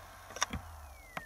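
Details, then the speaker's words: Acer Aspire hard drive: couple of soft clicks then a thin whine falling steadily as the drive spins down, repeating about every 30 seconds; drive, motherboard or EFI suspected, cause unclear; hard drive repeatedly spinning down. "there it goes as you can see every like 30 seconds the hard drive tries to go to sleep"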